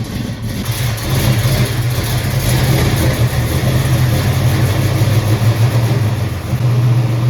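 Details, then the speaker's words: 1968 Mercury Cougar with freshly installed 347 roller V8, break-in run after first start before cooldown and leak check: loud, deep V8 held at raised revs with an even low rumble, no knocks or rattles; healthy revving. "We're gonna rake it in essentially right here, just kind of revving it up, giving it some RPM, and then we'll let it cool down, make sure there's no leaks, and then we'll go drive it."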